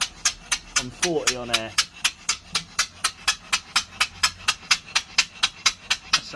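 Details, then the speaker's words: 3-inch Fowler traction engine after repairing cylinder leaks: crisp, even exhaust chuffs about two a second, sharp and regular with no hiss between beats, much cleaner beat than before. "lovely. Much much better. Much cleaner beat."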